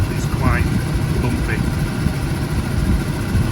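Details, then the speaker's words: Mazda RX7 FC turbo, warm, after manifold gaskets, new oil metering lines and intake manifolds: deep uneven lumpy hunting idle around 800 rpm with occasional backfire; rough idle, grounds and idle screw checked, cause not found. "It's just been idling. It just gives a quick every now and again where it just backfires."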